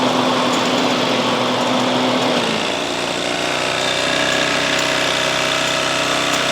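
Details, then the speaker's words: Toro Timemaster self-propelled mower with a blown head gasket: small engine drones high then sags to a lower speed, faint irregular popping over the running note; wheel bearings also need replacing. "I would rather see him replace the blown head gasket on there."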